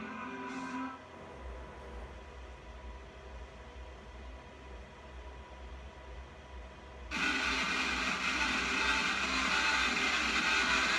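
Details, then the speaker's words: ATEM 1 M/E switcher program SDI output through an SDI-to-HDMI Micro Converter into a TV: quiet hum, then a loud, steady, harsh hiss and buzz. Garbled audio, later fixed by a switcher firmware update from v6.7 to v6.9. "I'm going to turn the volume down though because it's kind of loud when the problem uh makes shows this ugly face so here's HDMI number two on the TV"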